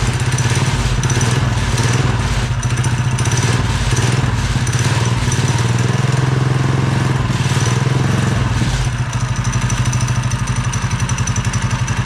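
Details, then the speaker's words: Mini bike with Honda engine swap (after original crankshaft snapped), fresh fuel, chain and belt cover off, throttle hooked up: single-cylinder runs smooth and steady once carburetor filled, revs cleanly; some rattling noted afterward. "So, as you guys seen, we got this thing fired up and it actually ran really good. Once the carburetor filled with fuel, this thing was running super smooth."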